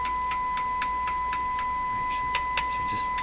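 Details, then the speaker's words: Nordmende Caruso console valve radio, shortwave band, after about three minutes of operation the tone dropped: steady test tone in speaker with sharp chassis tap-test knocks, some bringing faint intermittent crackle. "let's give it a tap test yet seems better you can still hear that in the speaker"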